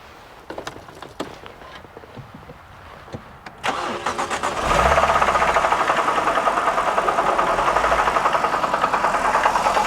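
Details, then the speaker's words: BMW E92 325i manual, restarted at idle: deep heavy even knock about three per second, seeming from bottom of engine, suspected rod bearing but actually failed AC compressor. "i thought it was an air conditioning rumble but maybe it was a rod bearing rumble"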